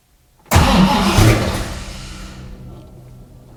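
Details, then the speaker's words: 1966 Mustang Fastback, new 347 stroker V8 with T5 transmission and carburetor, first start; fires almost at once with a loud burst, then deep rumble eases as it settles; normal healthy start. "I'm so excited oh she works she works"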